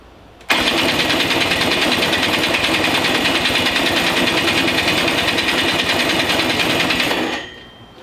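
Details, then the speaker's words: Possibly 100cc two-stroke racing go-kart engine, unused for years, with a rebuilt starter. It spins with a fast, steady buzz but never catches. The starter turns it too slowly to make a spark; spinning it with a drill gave a strong spark. "we found out that sometimes just a starter motor is not towing it fast enough to get the spark so when we put drill in there and spun it pretty fast sparks really well"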